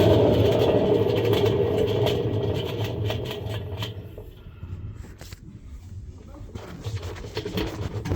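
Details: Samsung washing machine with a noisy drum, faulty bearings suspected: loud, coarse rumble from the spinning drum that eases off midway, then partly returns.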